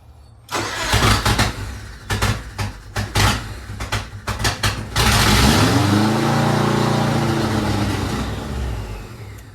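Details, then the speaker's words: 2003 Subaru WRX bug eye, hybrid engine, first start after reinstalling fuel lines, throttle blipped: cranks, catches with ragged uneven popping about three a second, then loud open rasp; loud rough running because no exhaust is fitted. "uh it'll start we know it'll start so um sounds like but that's what happens when you don't have an exhaust on"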